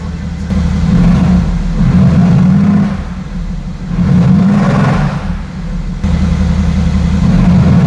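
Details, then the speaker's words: Mercedes-AMG GT S, first start-up after installing production VRP stainless turbo manifolds, before dyno: strong deep roar rising and falling through several blips, smooth, no knock or miss; deeper roar than before; normal. "Has like a It's like a deeper roar to it."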